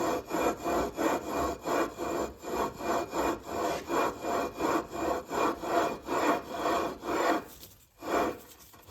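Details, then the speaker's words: Predator 212 engine build: the flywheel is lapped onto the crankshaft taper with compound and no key fitted, giving a rhythmic rasping grind about three strokes a second as it is worked back and forth. This is normal lapping for a perfect mate. "Then we're gonna be spinning this. Make sure no key, don't put the key in yet. You should hear that nice grinding noise."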